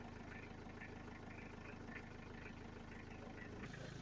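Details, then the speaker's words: 1992 Toyota Townace diesel camper, first start after a timing belt replacement: quiet, steady idle with an even low thrum and faint regular clatter, nothing odd standing out; no weird sounds, job successful. "Okay, I think we did it. No weird sounds. Let's go."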